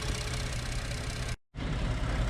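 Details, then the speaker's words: Ford F-150 3.5 after water pump replacement: steady low idle rumble with no whine, squeal or rattle from the front of the engine; previous noise gone, no leaks. "all right guys and that is it it is now running no more noise it's gone no leaks"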